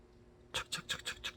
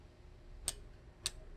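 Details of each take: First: New 8-speed entry-level road bicycle with correctly adjusted derailleur: quick dry, scratchy rasps about six a second when the rear is shifted to the outermost sprocket, chain rubbing from cross-chaining. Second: 8-speed road bike with the rear shifted toward the inner cogs so the chain runs nearly straight, cranks turned slowly backward: slow, evenly spaced light clicks about every half second with no rubbing; normal drivetrain.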